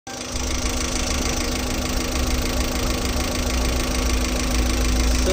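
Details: 2005 Zen LXi engine at steady idle: a light, fast knocking runs through it with a faint tone above; engine knocking of unclear origin.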